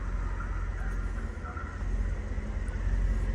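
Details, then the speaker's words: Mercedes SL55 AMG, supercharged M113K V8, first start after new power steering pump during ABC-to-coilover conversion: steady, even low idle with smooth hum, no squeal or whine; pump and pulleys healthy. "All right, still sounds good."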